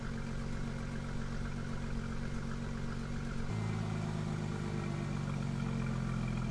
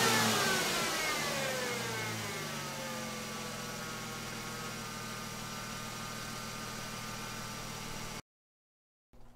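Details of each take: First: 2002 Ford Mustang 3.8L V6, 105k miles, after installing Pacesetter shorty headers, stock midpipe and muffler, during acceleration runs: smooth even exhaust drone stepping up cleanly in pitch, no ticking or puffing; earlier exhaust leak tick resolved, normal note. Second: 2002 Ford Mustang 3.8L V6, 105k miles, stock exhaust, started before installing Pacesetter shorty headers: engine revs and settles with a raspy fast ticking puff on the exhaust note from the leaking passenger-side factory exhaust manifold.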